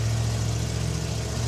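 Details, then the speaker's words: Off-road Challenger: fires right up after two throttle pumps into a deep, even, steady idle with no knocks or misses. "two pumps ah fires right up"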